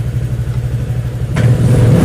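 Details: Honda Vario 125 injection (pre-LED) after repair. It had blinked 8 times for a TPS fault, with a tampered TPS, heavy hesitation and exhaust popping. The engine now hums evenly and revs cleanly with no stumble or popping. It sounds healthy.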